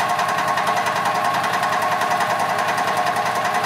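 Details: 2006 EZGO TXT gas golf cart after fixing crank-no-start caused by water in milky fuel; small single-cylinder engine chugs at steady even beat, no misses; normal running.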